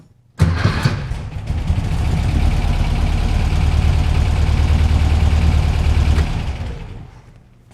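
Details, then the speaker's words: 1967 VW Beetle with newly installed and tuned dual EMPI carbs: quick crank, fires at once and settles into a steady, even low idle for about six seconds before shutoff; healthy start. "Fires up, runs."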